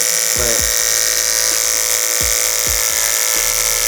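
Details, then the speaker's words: Hair clipper after the blade was sharpened on a block, cutting hair: steady high buzz stays even with faint soft ticks as hair passes; no longer pulls each hair as when dull, now smooth. "You can feel when it's dull and it kind of pulls each little hair. But now it's just like smooth."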